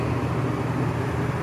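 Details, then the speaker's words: Coleman Mach 15,000 BTU RV rooftop air conditioner running on low cool: loud steady low roar with fan hum and constant drone, too loud to hear the TV over; excessive AC noise. "May not sound that noisy to you, but you can't hear the TV over it."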